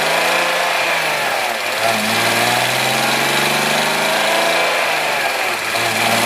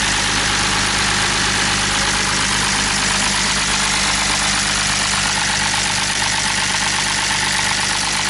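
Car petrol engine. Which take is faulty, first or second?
second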